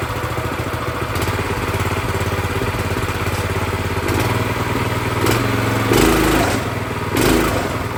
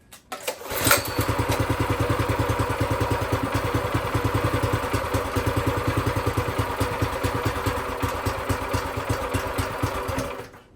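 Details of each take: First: Brand-new Predator 212cc single-cylinder engine on a plate compactor, first start with fresh oil and gas: even putter at steady idle, speed shifting a little and picking up near the end as the idle is raised slightly; idles fine. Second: Brand-new Predator 212cc engine mounted on a plate compactor, first start with fresh oil and gas. It catches at once, then settles into a slow, loping putter that sounds ready to stall; idle speed too low, needs raising.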